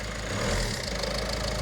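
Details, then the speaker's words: Peugeot Berlingo diesel van after its failed timing chain was replaced, on first start: even, settled diesel clatter at a steady idle with no missing beats. No valve damage, runs smoothly. "Sweet as a nut. Oh, that's nice. Eh? That sounds nice. Yeah, it's not missing. Yes. No valve damage."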